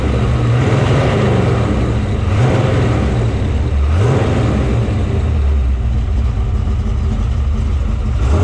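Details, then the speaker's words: Factory Five '33 Hot Rod roadster (2015 assembled), 351 Windsor stroked to 408 CI, 512 hp, dual Edelbrock 500 CFM carbs; V8 blips cleanly several times and settles to a steady idle, strong and even, no misses; normal revving. "Just an excellent sounding vehicle."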